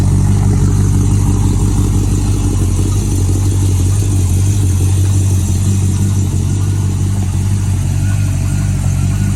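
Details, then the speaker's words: 70s Mercury Cougar with a 302-block small-block V8, possibly a 347, brought in for noisy lifters and backfires. Deep, steady idle with no ticking or lifter noise and about 60 psi oil pressure: normal idle. "far I can't hear any left noise we have a about 60 lb of oil pressure which is plenty"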